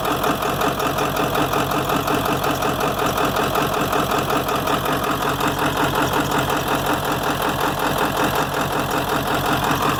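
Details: 7.3 diesel idling with an uneven, lumpy pulse around 160 a minute over a steady clatter; rough idle with blowby, cause not pinned down.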